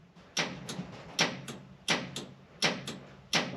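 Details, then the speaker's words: Colt after running wiring for the trans brake: sharp paired clicks about every 0.7 seconds in a quiet garage; trans brake solenoid engaging and releasing properly. "don't know if you can hear that solenoid engaging, but so that's another headache checked off."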